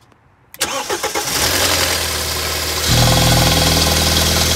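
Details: BMW N43 engine, harsh metallic rattle/knock about four per second right after cold start, settling into idle; intermittent fault 2A99 crankshaft–exhaust camshaft reference; oil pressure control valve, oil pressure sensor, VANOS valves and chain tensioner already replaced; cause unknown (chain, VANOS, oil check valve suspected).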